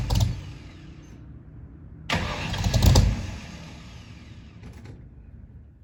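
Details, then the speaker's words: 1964 Mercury Comet after FloTek 180cc aluminum heads, Trick Flow Stage 1 cam, Victor Jr. intake and 1-5/8" headers, first start: catches in uneven surging bursts, lumpy irregular firing that won't settle; rough first start. "unfortunately it wasn't all perfect before we could get to what you just saw we had to go through this with this car"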